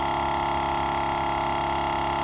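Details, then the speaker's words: GSPSCN dual-cylinder 12V tire inflator filling a BFGoodrich KO2 load range E tire runs with a steady, even drone and a quick fine piston pulse, no knocks or rattles; runs healthy, quieter than a Stanley FatMax. "i really like how quiet it is that's way quieter than my stanley fat max"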